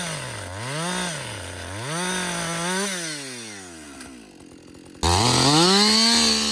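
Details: Husqvarna 562XP two-stroke chainsaw, back from the dealer after being reflashed for dying when hot and failing to start, now hot after long continuous cutting: bogs and recovers cleanly through each cut, screams crisply to full revs; normal running under load.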